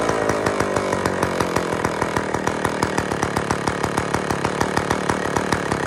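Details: IEL Pioneer HM chainsaw, old two-stroke, first run after fuel-system priming: sharp regular popping, about seven firings a second, rough but steady; running, carburettor needs fine adjusting.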